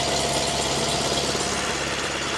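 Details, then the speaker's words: Ford Fiesta MK1, stood for a few years, idling roughly on a makeshift wire fan belt with water pump not turning: lumpy stumbling beat as plug leads are pulled in turn, one cylinder not firing at all; misfire at idle. "Let's see if we can figure out which cylinders misfiring anyway. [Music] That one's firing. That one's firing just that one is not firing at all."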